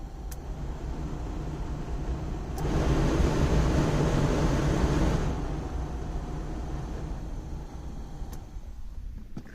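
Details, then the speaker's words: Ford Transit van heater blower motor on test run after rewiring, temporary ground, not yet installed: smooth even rushing whir rising at start and holding steady; blower motor working. "Fantastic. That is the blow motor working now. That I am really happy about."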